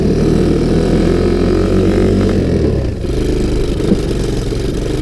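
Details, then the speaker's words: Sunl 110cc ATV, not yet warmed up, accelerating from first into second; engine pulls, then sags and stumbles as load comes on, bogging down; owner thinks a bigger rear sprocket would help and choke may need backing out, unconfirmed. "you guys can see I hit second I mean this isn't quite warmed up yet but she bogged down"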